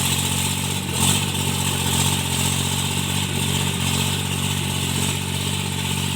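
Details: Tractor diesel cultivating under field load after an engine knock was repaired: pulls steadily with an even drone and no knocking; runs healthy.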